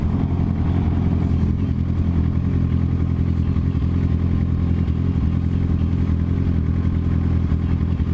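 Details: 2007 Suzuki GSX-R 750 while riding, stalled earlier and hard to restart; loud uneven drone with stumbling beat, feels like running on three cylinders, plus weird whine; owner suspects electrical fault, stator or regulator/rectifier, battery dropped 13 to 9 volts.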